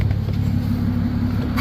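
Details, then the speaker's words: 2008 Nissan Altima coupe, 3.5 V6 with 6-speed manual, Copart car, after the drive home, not running warm: normal idle, smooth even low idle with a slight lift in revs at the end, no knocks or misfires; "purring like a kitten." "Got it home safe and sound from South Carolina. She's purring like a kitten."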